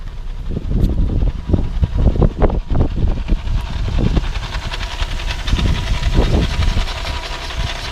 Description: 2015 AUDI A3 1.8T. Grinding noise was found from the front of the vehicle when it was going uphill in Drive without any acceleration.